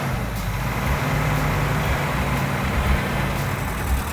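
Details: 1970 Plymouth Cuda 340 V8 after a fresh rebuild, with sand dumped down the carburetor, idling: light even metallic tapping over a steady rumble; knock source uncertain, hoped to be lifters, not confirmed.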